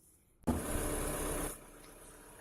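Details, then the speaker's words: Whistle blamed on the alternator: after the alternator was removed for bearing work and refitted, the engine fires with a sharp, harsh squeal for about a second, then idles quietly. The ribbed drive belt was visibly slipping on the pulley and needs replacing. "свист был очень хороший такой свист я так понял из-за ремня потому что он визуально видно было что ремень проскальзывает"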